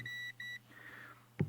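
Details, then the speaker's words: Tuning coil of a 1948 Echophone EC 600 battery farm radio, varnish lightly scraped off both ends with emery cloth: two clean, steady high beeps from the continuity tester show the winding has continuity and is undamaged. "Okay, and that means that the coil is fine. We have no damage to the coil."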